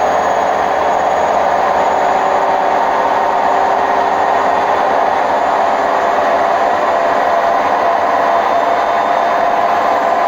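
A steady, heavy rushing roar holds through the spin with no knocking rhythm, which points to worn drum bearings.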